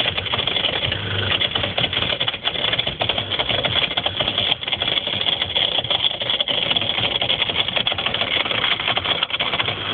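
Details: Whirlpool ADG 7540 dishwasher, recorded from underneath: fast buzzy rattle while running, with the rubber hose and heater moving; owner suspected something stuck, later solved by replacing the pump.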